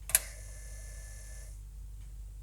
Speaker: which it does and that sounds pretty normal, the motor spins and the drive LED turns on and back off, and it also spins again when the power switched off so that seems correct.